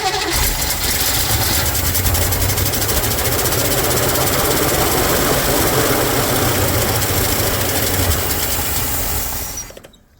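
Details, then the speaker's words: 1957 Chevy sitting 35 years, fuel poured into the carburetor: long steady cranking at about three and a half beats a second with no firing; crank no start, mechanical fuel pump not pumping, diaphragm suspected bad or line plugged. "feel it pulsing but it's not really pumping. So, okay. So, mechanical pump isn't working."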